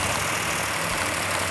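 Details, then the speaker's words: Freshly built Mopar 440 with big street cam at initial startup, no smoke yet: loud even idle with light ticking chatter over the rumble; slightly noisy valvetrain, normal on a new engine, before holding rpm for cam break-in. "Got a little bit noisy valve train, which is normal on a new engine."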